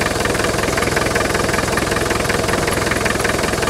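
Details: Land Rover 110 2.5 turbo diesel County station wagon, at idle after starting easily: steady even diesel clatter, about two and a half beats per second; breather puffing and oil around rocker cover gasket, but engine sounds healthy.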